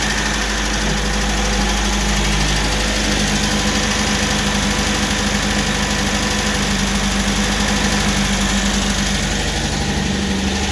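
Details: MGB GT petrol engine running cold at idle, steady, with a light, quick tapping of about three taps a second riding over it.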